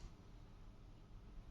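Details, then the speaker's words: TVR Cerbera ignition control unit bench-tested on 12 V: a single crisp relay click with no chatter or buzz. The engine relay latches on and the starter relay releases when the start signal is removed, working normally. "so as I let go of the starter motor button takes it back to zero but because we've already treated the first relay it then stays on and the second one just comes on when you reconnect it"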